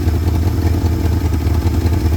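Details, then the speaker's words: 1971 Ford F250 started after sitting about two weeks, slight oil burning off the manifold; once warmed up it idles nicely with a deep, steady, even rumble and no ticking or knocking. "Well, it's idling nicely once you're warmed"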